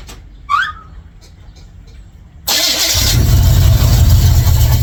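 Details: 1955 Chevrolet Bel Air with ignition bypassed by a wire setup and a little gas added to help it: quiet spell, then it cranks, catches quickly and settles into a steady, even idle; normal start and idle.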